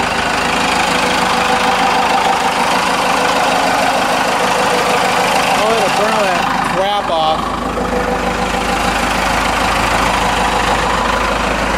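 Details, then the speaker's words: 4BT Cummins diesel just after turbo replacement, warming up a couple minutes before a test drive; steady, even clatter at idle with no knocks or misses, sounds like factory idle; healthy. "this guy warm up a tiny bit just give him a couple minutes to wake up sounds like factory idle"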